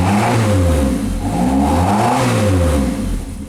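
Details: Triumph TR6, idles around 950 rpm, warm-up richness still to be tuned via air bypass valve: crisp throttle blips, revs climb and fall smoothly with a clean, even exhaust note and no misses or knocks; engine sounds healthy.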